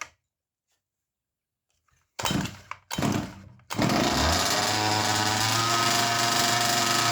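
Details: Rebuilt two-stroke in a Baja 5B RC car, new ring: started on choke in two pulls, then settles into a fast, steady, even buzz idling cleanly; clutch engages early, possibly from a new shoe. Normal idle.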